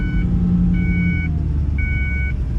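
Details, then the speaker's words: 1983 Ford Bronco XLT 4x4, transmission stuck in third gear for over 12 years, at full throttle in a parking lot: deep steady low rumble that never climbs in revs, chime beeping; labouring with no power. "let me show you how it's stuck in third gear as you can see I'm giving it a ton of gas and it just does not want to go"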